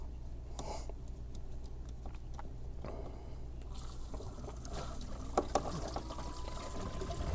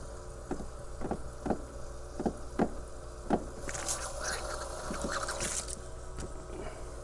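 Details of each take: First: Circulation pump after bleeding air lock, fitting closed: low steady pump hum with trickle of water at bleed point; pump fully primed and pushing water, heater contactor then clicks on. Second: Heater circulation pump air-locked, fitting loosened to bleed: regular ticking pulses about every half second, then spitting, hissing water as trapped air is pushed out; may need repeating until primed.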